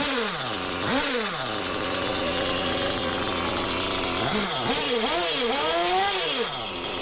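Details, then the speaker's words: Used Reds R5T Team Edition RC nitro engine after a clutch bell change: revs rising and falling with a steady airy hiss over the exhaust note; owner thinks it's the rear bearing and plans to replace it, not the clutch: hissing noise. "Well, sadly, still making the hissing noise. I think it's the rear bearing, so yeah, I have to change the rear bearing."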